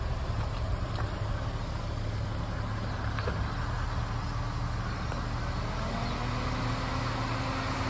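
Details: Ford FG XR6 ex-police car, naturally aspirated with a 5-speed auto, on its fairly standard exhaust before a new exhaust is fitted. The idle is smooth and steady with a low, even, quiet note and no knocks or misses; normal idle.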